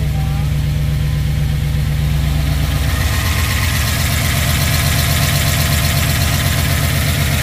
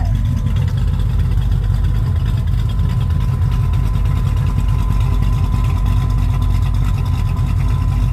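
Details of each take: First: Rebuilt 1967 Pontiac Tempest V8, first start after rebuild: idle with a light, busy valvetrain clatter on both sides, oil to top end uncertain; lifter tick from oil starvation at first start. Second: Rebuilt 1967 Pontiac Tempest V8 idling once oil pressure reached the lifters: deep, steady rumble without ticking or puffing, much quieter and better after exhaust leaks were fixed.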